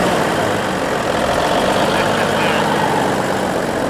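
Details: 1950s Euclid off-road truck diesel after sitting 10+ years, just restarted: catches and keeps running with rough, loud clatter, no misses or knocks standing out; manual fuel solenoid override engaged; normal running.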